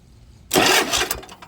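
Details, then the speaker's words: Toro TimeCutter zero-turn mower with a Kohler engine and a dead key, starter bypassed by touching battery positive to the solenoid lead: a sudden harsh burst of starter spin lasting about a second, then it fades; the solenoid is faulty. "So, solenoid's no good."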